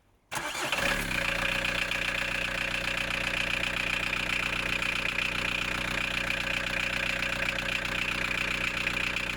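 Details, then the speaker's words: VW 1.9 TD diesel first start after a timing belt, water pump, pulley and fuel filter change, covers still off, about 6.5–7 L coolant added: brief crank, then a steady, even idle clatter with no knocks or misses; healthy. "So this is put together, so that's it, it's time to start it up."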